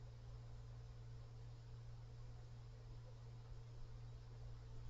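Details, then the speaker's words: PWM fan revved to maximum speed: quiet steady hum with droning harmonic resonance tone and faint higher whine; faint rubbing, possibly bearings. "oh there's a Harmon residence there's also another noise and"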